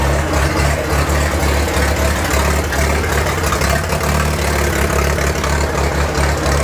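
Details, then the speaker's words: 1943 Case SC tractor, first run after years of sitting, following spark fix, carburetor not yet tuned, with a little throttle: low, lumpy idle with uneven beat and occasional stumbles; rough running, owner suspects fuel mixture rather than a miss. "I gave it a little bit of throttle and she stayed running sounds a little rough I'm not sure if I got a miss or if it's just fuel mixture my feeling is its fuel mixture"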